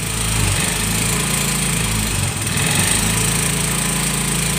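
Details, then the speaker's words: 2018 Yamaha Mio M3 scooter, hard to start, runs rough like a helicopter, tops out around 20; at full throttle it holds a flat, rough drone that never climbs; not revving, linked to late oil change, throttle body serviced next. "Oke nih guys, bisa dilihat ya, sudah full gas tetap tidak mau. Bisa diperhatikan, full gas motor itu tidak meraung-raung guys."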